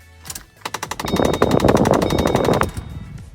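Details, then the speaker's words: 2005–2009 Mustang with just over 100,000 miles: rapid, even burst of sharp plastic clicks from inside the dash on the driver side; failed blend door actuator, a common defect on 2005–2010 Mustangs. "so that is the blend or actuator pretty common defect on all 2005 to 2010 Mustangs this car has little over a hundred thousand miles and the blend door has finally gave up guys"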